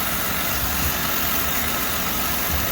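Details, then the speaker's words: 1938 DeSoto at quiet idle with steady airy hiss from a leaking vacuum line running to the vacuum-operated wipers; covering the leak makes the wipers work. "hatsoever and I'm not sure if you can hear that hissing sound but that hissing noise is a vacuum leak and it's in the most convenient spot I'm glad it's out here rather than being in here"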